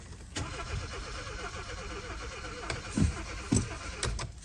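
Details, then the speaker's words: 2015 Kia Forte 1.6L turbo, 71,000 miles, crank no start: starter spins the engine evenly but it never fires; fuel present, many stored codes, spark being tested next, original fuel pump suspected, not confirmed. "just spins all right let's try something real quick let's see if we got spark"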